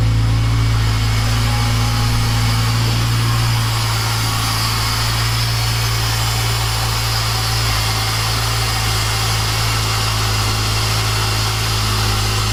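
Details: Honda Integra DC5/RSX with a new Racing Circuits engine harness, just started for the first time in 8 months after refuelling: a deep, steady hum with an even pulse and no misses or knocks; normal idle.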